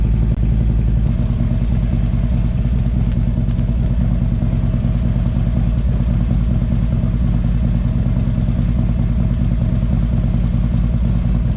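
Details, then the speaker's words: Harley-Davidson CVO bagger V-twin at idle: loose, irregular ticking about three a second over a rough idle, same noise heard while riding; electronic stethoscope rules out exhaust, source still unknown. "So I went around with the stethoscope with, I thought it was going to be the exhaust, but it's not coming from there."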